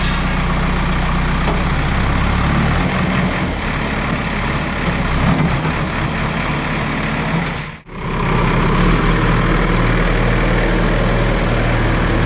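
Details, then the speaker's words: JCB backhoe loader diesel test-digging after the fuel line was bled, checking for the earlier cut-outs. A deep, steady rumble holds firm through the work with a brief air hiss and no stumbling or stalling. Running normally under load. "അപ്പോൾ നമ്മുടെ വണ്ടി വേറെ കുഴപ്പമൊന്നുമില്ല, of ആവലും കാര്യങ്ങളൊന്നും ഇല്ല. ഇല്ല ചേട്ടാ, കുഴപ്പമില്ല."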